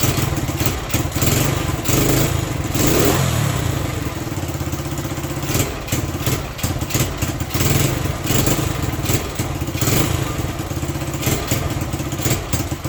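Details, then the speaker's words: Honda SL100 single in a 1975 SL125/XL125 frame, worn out, cold, during carburetor screw adjustment: uneven tickover, stumbling puffs, irregular thumps; carburetor fault, poor idle, won't rev without choke almost fully on. "I'm gonna ride around the yard a little bit, just check it out, but it's got some carburetor issues. You can't rev it up unless the choke is almost all the way on."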